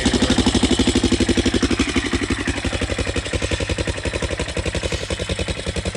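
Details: Yamaha Raptor 660SE quad with no muffler: a steady, even single-cylinder idle thump with no smoke or knock, with a loose clattery rattle on top from loose front motor mounts that need tightening.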